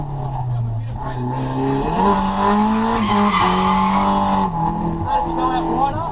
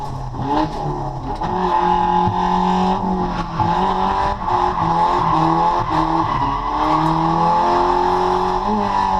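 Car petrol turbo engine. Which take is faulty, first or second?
second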